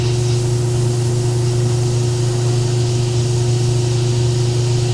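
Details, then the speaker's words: Airbrush spraying cleanly after thinner was added to a too-rich paint mix that had caused sputtering and spattering: even compressor hum under a steady, unbroken hiss with no spitting; normal smooth spraying. "I can go ahead and mix it right in the airbrush and then it's gotten little easier to spray it's not I'm not hearing that noise where it's sputtering and splattering"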